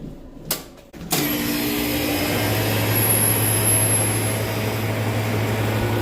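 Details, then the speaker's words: Walk-in freezer compressor restarted after its thermal overload reset and the windings checked: a click, then a steady low hum, running evenly and drawing 14 amps with nothing odd heard. "Nice. So, compressor started fine. Drawing 14 amps. Nothing seems weird."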